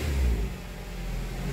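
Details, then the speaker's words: 2010 Nissan Cube with CVT transmission, no codes stored: engine drones at high revs with throttle floored in drive and reverse but the car barely moves; transmission slipping and making a squeezing noise, transmission considered shot. "I have to rev It Up my foot is at the floor I ain't doing anything [Music] my floor in reverse here we go nothing it just it just barely moved and it can't"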